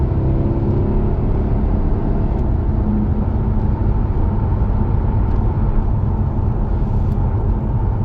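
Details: Jaguar XK (X150) 4.2 V8 on a road test after a rattling heat shield was fixed: smooth road and engine hum with no rattle or buzz over bumps. Quiet cabin, fixed.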